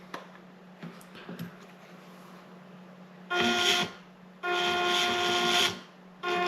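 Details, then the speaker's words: WPL 6x6 RC crawler bought broken at 50% off, tested after the motor was found unscrewed and refitted; short bursts of high, even electric whine start and stop cleanly with each throttle blip, so the motor and drivetrain are running normally. "I mean, yeah, in the most rudimentary ways it operates."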